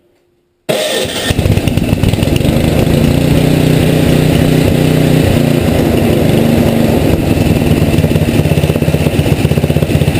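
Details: Tecumseh HM80 engine, relatively warm, choke off, after carburetor needle adjustment to one turn out from seated; catches and settles into steady, even idle with regular firing, no hunting or stumbling; mixture right.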